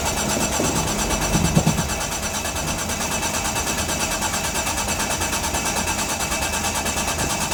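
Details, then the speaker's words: 1995 Mitsubishi FTO GR, not started in 10 years, ignition barrel refitted: starter cranks steadily at about three beats a second but never fires; owner suspects the 10-year-old fuel is bad or low. "not starting yet. But we got the car cranking. That's the main thing. I'm thinking that the fuel could be no good."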